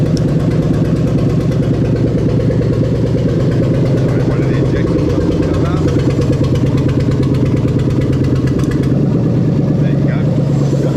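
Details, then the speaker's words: Lexus LS430 3UZ-FE VVT-i V8 on test with newly rebuilt right-hand-drive automatic engine harness: very loud, open V8 rumble settling to steady even idle with no knocks or misses; healthy start, though random misfire codes were later cleared. "We're just going to crank it, she's going to start, and then we're going to go through there, okay?"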